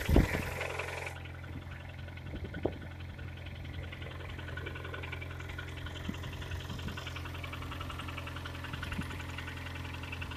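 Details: 2011 KIA Sportage, G4KD engine, 220,000 km, last cold start before overhaul: cold idle with a steady low drone and a light repeating metallic tapping; internal engine knock.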